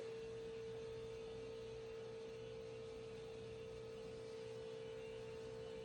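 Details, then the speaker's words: 2011 VW Jetta TDI Sportwagon diesel after fuel filter replacement, pump activated via VCDS to prime: steady, even mid-pitched hum, no grinding or surging; normal priming, no leaks. "And if you listen, you're going to hear a change in the tone of the pump, and that means it's filled up."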